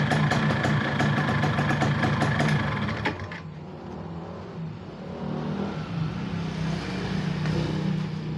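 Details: 2005 Yamaha F1ZR two-stroke after greasing starter gear to cure rough noise at engine shutoff: brief rev then steady, even idle with no rattle or grinding; engine sounds healthy.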